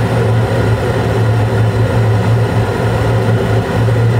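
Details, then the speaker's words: Carrier Infinity 96 gas furnace (58MVB), sealed combustion using outside air, running in 2nd stage in late April after hot surface igniter and gas valve lit 4 clean flames; blower on: steady even low drone, no knocks, rattles or surging; normal operation. "Looks like it's still running smooth. And like I said, this might be the last time I have to fire it up this season, but we'll see."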